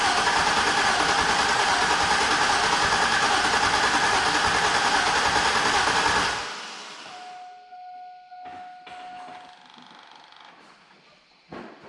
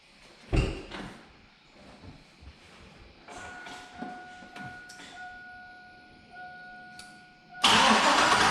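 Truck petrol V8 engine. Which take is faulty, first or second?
second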